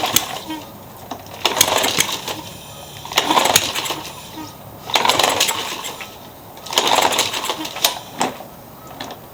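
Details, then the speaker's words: Troy-Bilt walk-behind mower started after the flywheel key checked okay, a plastic chunk under the flywheel was removed and a wet plug was refitted. The engine surges in rough bursts every two seconds under metallic clanging; the blade still knocks. "I still hear it hitting. Well, crap. That wasn't it."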